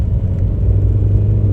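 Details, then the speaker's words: VW Beetle with 01M automatic transmission after TCU replacement, accelerating from a stop in Drive with the AC off: smooth pull with clean, barely noticeable shifts through second, third and fourth gears. "third, fourth. Wow. So smooth, man."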